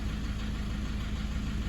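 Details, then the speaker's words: Toyota 1KD-FTV D4D diesel, injectors replaced about 5 years ago with low kilometres, possible fuel contamination suspected: a steady, even light tapping over the low idle rumble; revs cleaner and no smoke; injector number four suspected. "I did follow it driving for about 10ks didn't blow a breath of smoke either but that constant tapping in the background at"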